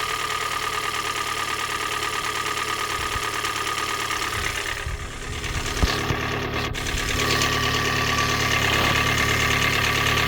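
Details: 2013 Hyundai i30 GD 1.8 automatic at idle: light regular clatter, about three taps a second, through the engine note; piston slap, per TSB 21-EM-001H.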